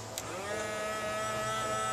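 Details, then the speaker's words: 1977 Volkswagen Westfalia camper, small electric water pump running dry with no water in tank: spins up into steady, even whine at constant pitch; works fine, only briefly run to avoid dry damage. "you can hear that pump going which I don't want to do for too long you don't want to do that dry"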